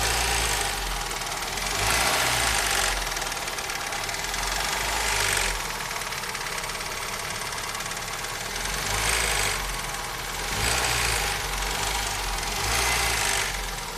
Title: Стук в двигателе 4S-FE